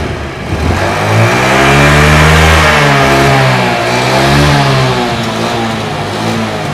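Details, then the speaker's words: Honda Beat carbureted scooter that pulled sluggishly and topped out at 60 km/h, after replacing the carburetor vacuum rubber with an original part: engine revs cleanly and climbs smoothly, no hesitation or bogging. "Hi here, if it's like this, it's guaranteed that the pull will not be weak anymore"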